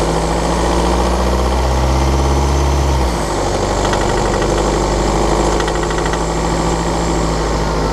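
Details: BMW F11/F10 520d 2013, N47 diesel: busy ticking rattle over a deep drone at low revs, when cold and under load at 1500 rpm; a faulty injector, pinpointed by ISTA test.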